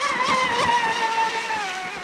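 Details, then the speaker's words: Traxxas Spartan RC boat, two 6S 5200mAh packs in parallel, 48mm profile prop, end of last run: high motor whine sliding lower as revs sag; owner suspects batteries are depleted, speed controller and capacitors hot afterward. "I think I've taken the best out of the batteries now because you can even hear the revs aren't the same as it was."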